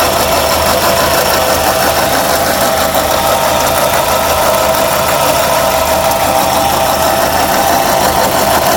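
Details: 2006 Suzuki Forenza at idle: busy metallic clatter with faint ticking over the run; owner asks the cause, not identified: abnormal engine noise at idle.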